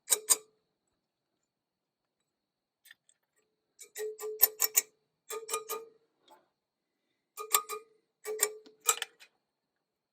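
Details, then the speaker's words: Tap test on the rear wheel spokes of a 2018 BMW R1200GS bought with 350 miles: single taps go spoke by spoke, clear rings from tight spokes and duller thuds from loose ones; 14 loose on the rear, 3 on the front. "you listen to the sounds basically it's one there then move it there to play you can hear the difference"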